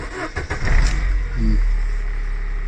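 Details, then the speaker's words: 2000 Holden Astra, 1.8 L 18XE, warm: brief crank then catches almost at once into steady, even idle; long cranking occurs only on first morning start, a sensor suspected. Normal warm restart. "and there is now issue once the vehicle is um running property so what's that we could become warm there's no uh probably when it comes to starting so only per uh the first start in the in the morning"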